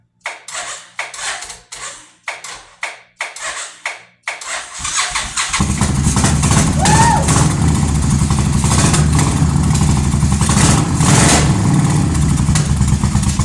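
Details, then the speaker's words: 2005 Suzuki Boulevard S83 after sitting about four years, carburetor cleaned, started with choke off: several slow cranking bursts, then it fires into a lumpy, surging idle. It runs roughly; the owner hears a fuel leak squirting, suspects a bad connection. "W oh she runs h yeah I hear a fuel pump leaking squirt squirt we got crappy connection man I'm G play with it it runs though"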